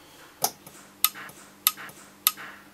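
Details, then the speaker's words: JBL EON 200/300/500 series powered speaker amp at power-on: sharp dry snaps roughly every half second over a faint hum; an underspecified inductor is arcing across inside the coil. Inductor arcing. "Oh, you see it sparking now? Is it flickering away inside that coil?"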